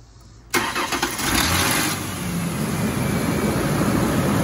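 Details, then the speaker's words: 2001 Ford Ranger 4.0L 6-cylinder, which had a P0304 code and a skip on acceleration, started after replacing the front spark plug: quick crank, catches right away, smooth even idle with no stumble or skip, a couple light revs; sounds fine. "give it a couple ribs just a little so that sounds fine to me"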